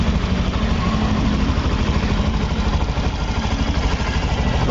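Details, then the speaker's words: Honda Beat digital (Beat Eco) scooter after fixing a noisy-engine complaint: smooth, soft, even idle putter with no knocks or rattles, quiet again like new. "oh ya bisa teman-teman dengarkan sebelumnya dan sesudah ini ini suaranya lembut kembali seperti baru"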